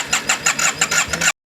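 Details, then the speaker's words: Yamaha TMAX scooter restoration after reinstalling ignition, no 19 error: quick rhythmic starter cranking about six strokes a second; engine tries to catch but never fires; owner suspects air leak or fuel not reaching. "there's no 19 error and if you listen it actually wants to catch see no 19 error so it does want to catch so let's see"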